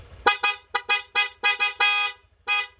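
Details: Honda Click V2 scooter, 112,000 odo, after full service: about seven sharp, bright honks in under three seconds, each strong and clear; horn works properly.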